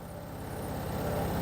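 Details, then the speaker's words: Candy (Smart Pro) front-load washing machine on customer's mounting stand/rack: fast regular low thumping building during the spin; machine shaking, excessive vibration blamed on unsuitable stand, which is to be removed. "Now what I'm going to do I'm going to remove this stand actually because it's too much vibrating. You can hear the noise here. Too much it's irritating noise."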